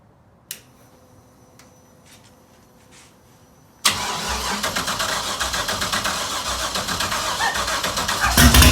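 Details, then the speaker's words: LS V8 swapped into an FRS, started out of gear after the throttle cable was adjusted, since the throttle had earlier stuck open to redline. It catches and settles into a fast, even idle that stays high; the cause is unknown. "still higher idling I don't know why it's doing that"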